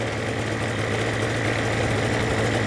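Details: Destiny powered parachute engine during annual/100-hour inspection: steady, even idle with a smooth low drone and no gearbox chatter after the idle was raised from a rough, too-low setting; running healthy.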